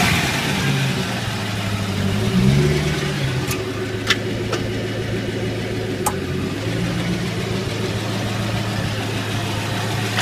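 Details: C5 Corvette Z06 pulling away at low speed in 1st-2nd gear or reverse: sharp scattered clicks from the rear, traced to a dry axle nut and spline in the hub; fixed by greasing the spline. Gear oil had just been changed.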